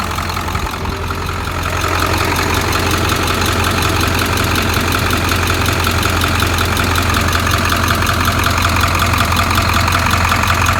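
Steady diesel idle with a sharp, regular tick about 160 a minute riding over it; ticking at idle, source not yet pinned down.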